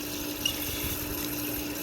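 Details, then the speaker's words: Centrifugal irrigation ditch pump with foot valve after priming: loudens as trapped air clears, then quiet, steady motor hum with smooth water flow, no gurgle or surging; primed and running normally. "It's got some air trapped in it, and in just a second it's going to go. And there it goes."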